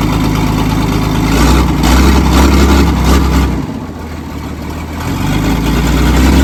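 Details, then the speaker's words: Old loading shovel diesel abandoned 18 years, started on ether with throttle held by cable tie: rough uneven idle with a lumpy beat, one cylinder dropping out due to a sticking open valve; owner plans to remove rocker cover. "it runs yeah you can hear that valve is open it's obviously not a huge amount because it's not colliding w"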